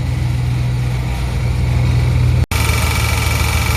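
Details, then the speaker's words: 2003 Silverado with AccuAir eLevel system and engine-driven compressor, after replacing the suspected moisture-failed pressure switch, idling: steady low compressor hum, even with brief cut midway; pumping normally, air suspension compressor working. "yes yeah she works because it works you hear pumping"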